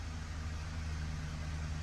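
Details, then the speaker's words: Ford 5.4L 3V V8 after a timing job: deep, lumpy idle with heavy throb. VCT error is near zero, yet one whole bank misfires; bank 2 fuel trims climb to about +16–18%, suggesting lean, underflowing injectors. "so why is that whole Bank misfiring"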